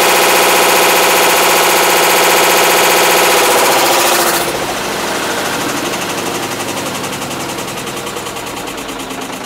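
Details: Loud, rapid, even clattering, about four bangs a second, from a 2012 BeatWash BW-D8KV top-load washer in its 8th year, in wash, rinse and spin; failing clutch, second failure, blamed on overloading with laundry.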